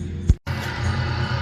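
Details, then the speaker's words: Brunswick A2 bowling pinsetter started after fitting a sheave and brand-new belt: brief thump and dropout, then a low, even drone with no knocking or squeal; runs normally and quietly. "she's on she runs she's pretty quiet too"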